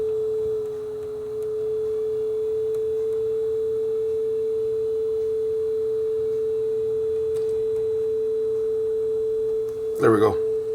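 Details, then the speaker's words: Aurex (Toshiba) PCG8AD cassette deck with a two-wire motor that has its speed control inside, after speed adjustment: the test tone is clean and steady in pitch with no wavering, so tape speed is now correct. "that's very close so that's good enough"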